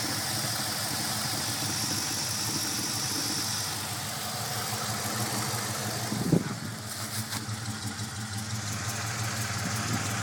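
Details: 5.7 Hemi V8 idling with an uneven, lumpy beat and occasional stumbles rather than a smooth hum; rough idle, cause not yet pinned down.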